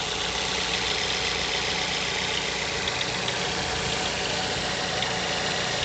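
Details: Mazda 6 GH 2.0, cold idle after long standing at 1000-800 rpm: faint fast light tapping over busy mechanical clatter; disappears once coolant temperature needle starts rising; unexplained cold-start knock, source not found.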